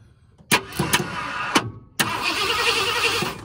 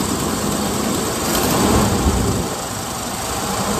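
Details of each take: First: 1978 Ford Bronco Ranger XLT 400 V8, sitting 20+ years, first start attempt after adding fuel: short bursts of cranking with the starter whirring, never catching; distributor turns, and the ignition timing is a tooth off. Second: 1978 Ford Bronco Ranger XLT with 400 V8, sitting 20+ years, running on a fresh battery: steady, even rumble with no misses or knocks. Normal running.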